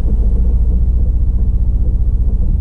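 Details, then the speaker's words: Nissan Altima at auction, in gear under throttle with service engine light flashing: deep heavy rumble with lumpy pulsing beat, jerky, lacking power; suspected dead cylinder; misfire. "well the altima's got a dead cylinder hey say it guys but this is a no-go i think it's a dead cylinder in this car the way it runs should have looked at that before i even looked at the rust"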